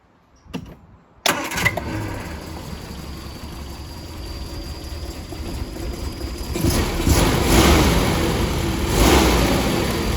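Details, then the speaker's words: Triumph Spitfire 1500 after fitting a bigger full-width replacement radiator and filling coolant: brief starter whir, engine catches and settles into even idle rising slightly, warming up; healthy, later no leaks and same temperature. "So what we're going to do is now just let the car warm up, and then we're going to take it for a spin."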